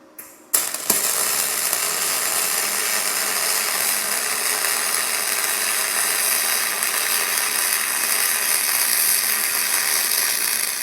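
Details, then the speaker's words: YesWelder DP200 MIG welding 1/8 inch aluminum at default out-of-box settings, graphene torch liner and changed drive wheel: arc strikes then smooth, steady hiss with no crackle, behaving more like a spray arc; no burn-through. "I'm not a big fan of this setup because it acted more like a spray arc."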